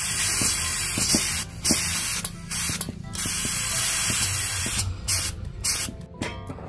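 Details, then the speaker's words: LPG cylinder with stove regulator: sharp continuous hiss of gas escaping at regulator-to-valve joint, with handling clicks; leaking regulator seal, dangerous fire risk. "bisa terdengar ya teman-teman Jadi ini sangat berbahaya sekali"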